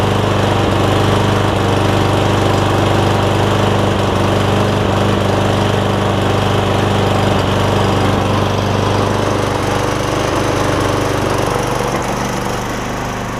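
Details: Cub Cadet SR621 push mower with a Kawasaki engine, after a replacement carburetor with built-in primer bulb was fitted: a strong steady drone at even speed with no misfires, easing off at the end. It runs pretty good after sitting unused a while; the shut-off is wonky.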